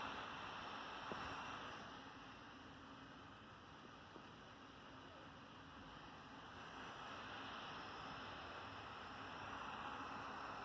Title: Hp pavilion x360 convertible 2 in 1 laptop - loud fan noise pt2